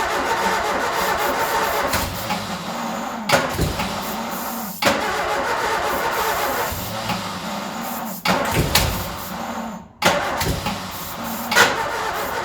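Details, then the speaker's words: Ford Escort revived after 14 years neglected catches on starting spray down the carby and runs lumpy and uneven, dipping and surging and nearly dying twice; rough running, not healthy, definitely not happy. "There we go, she fires up. She's not healthy, but she fires up. I'll consider that a win. I'll consider that a win on my side. But she is definitely not happy."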